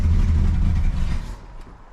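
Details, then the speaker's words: Cadillac, first start in about 2 months, about 22 psi oil pressure; steady low rumble sags and dies about a second later, stalling; owner guesses out of gas, unsure. "She just ran out of gas probably. No, maybe not."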